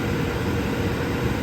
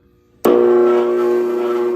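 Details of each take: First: Indoor furnace blower after loose duct insulation liner, which had been sucked in and caused loud noise, was glued back and held down: steady, even rush of air with a low smooth hum and no rattles or scraping; running normally. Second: Indoor furnace at switch-on makes a loud, steady droning hum with buzzing tones; insulation liner fell off the duct into the blower, and long imbalance vibration wore it, so the blower motor must be replaced, possibly the blower wheel too.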